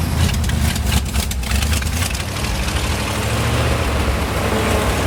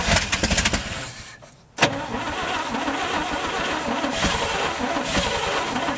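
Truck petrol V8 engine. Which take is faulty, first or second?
second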